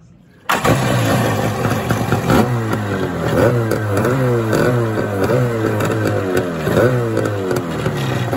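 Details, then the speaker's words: Kawasaki 650 SX stand-up jet ski after retightening a loose exhaust clamp that had caused no power and stalling: fires right up and holds a steady buzzy two-stroke idle with rhythmic blips, no stalling or exhaust leaking into the bay. "now it stays running before when the exhaust clamp had let go there was no compression or pressure um i guess pressure and so it was shutting off so now it's staying running and there's no exhaust"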